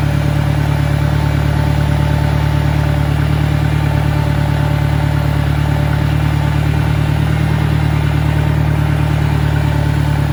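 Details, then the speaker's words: 1965 John Deere 1010 tractor at 1000 RPM in third gear: steady low drone with extra mechanical clatter, noisier than a 1963. Owner suspects worn roller bearings, shaft end play needing adjustment or bad cage bearings. "third gear is a little bit quieter but there's still a one sounds to be to me anyway a fairly significant amount of noise as compared to the 63 in first and second"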